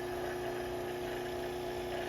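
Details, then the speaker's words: Robinair 134Z refrigerant recovery machine: after nitrogen is let out of the tank, valve opened and the vacuum pump changes note to a steady even whir, clean tone around 350 Hz, no knocks or rattles, evacuating the tank normally. "All right, so the nitrogen is out, and what we can do now is open this, and we'll let you'll hear the vacuum pump change. There it goes."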